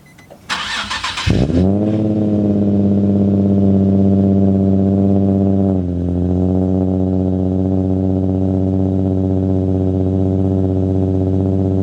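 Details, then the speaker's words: Nissan 350Z 3.5 V6 after installing Berk high-flow cats in place of test pipes, new cats not yet broken in: starter cranks, engine catches, flares, then settles into a deep, even, throaty idle, similar or slightly quieter volume, no rattles. "uh it sounds actually the same volume I would say maybe a little bit quieter um a little bit throatier um no noise inside though"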